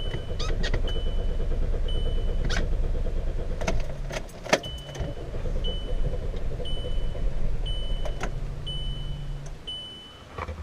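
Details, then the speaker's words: VW Jetta, hard cold start, gauge showing overheating when cold; owner suspects the coolant temperature sensor: starter churns evenly, about three turns a second, over a repeating chime, with gas applied, but it never catches. "as you can see it's still not starting even though you give it some gas"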